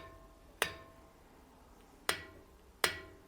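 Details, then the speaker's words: Bicycle wheel during truing: three sharp plucked pings at differing pitches, lower notes from looser spokes; spoke tension is uneven. "using a guitar pluck you can hear the difference in pitch of the sound the looser spokes do have a bit less high of a pitch"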